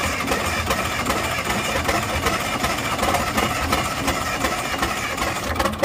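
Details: Engine with hard starting and white smoke forming circles, knocking noise inside while running: catches and runs rough and uneven, stumbling with no steady beat; hard start with unsettled idle.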